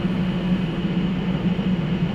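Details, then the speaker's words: Motorhome air conditioner powered by an ALLPOWERS S2000 portable power station drawing about 700 watts: steady low hum with a firm drone near 200 Hz, even and unbroken; compressor started and running normally under load. "So we're drawing just around 700 watts, and if I remember right, that's what it's rated for. And it's running. It's started the compressor. I can feel the air."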